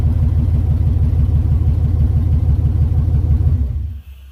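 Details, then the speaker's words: LS 6.0 V8 swap, first start-up: deep, even burble at about three pulses a second, idling on its own and able to rev, with no knocks or misses, then shutdown. Runs healthy. "well she's alive she is alive okay guys so the video of his starting he does start he does run does idle on its own and I am able to rev it"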